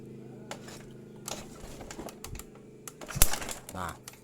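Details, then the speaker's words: Honda Vario 110 carburetted scooter, CDI check: with good battery and key on, engine kicked over while spark is tested; sharp dry uneven snapping sparks show the CDI unit is good, healthy ignition spark. "Nah, itu terdengar suara bletak seperti itu ya. Nah, kalau misalkan sudah seperti itu, maka dipastikan CDI-nya bagus."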